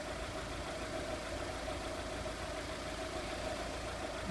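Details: 2002 VW Polo 1.4 petrol, checked for a P0304 cylinder-4 misfire from a bad coil; steady, even idle with smooth hum and no stumble, running cleanly on all cylinders. Normal idle.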